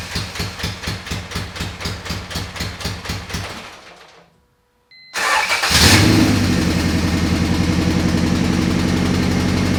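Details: 1988 Honda CRX Si after a B18C Type R engine and transmission swap, B18C ECU chip fitted, first start: several seconds of even cranking, then it catches and settles to a steady, fast idle with no odd knocks; normal start.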